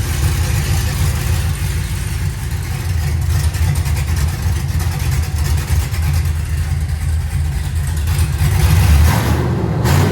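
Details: Rebuilt cateye vehicle running and driving again: uneven, loping exhaust rumble that surges and dips as revs rise instead of pulling smoothly; owner says it runs a little weird and seemed to cam out briefly; engine running rough, cause unclear.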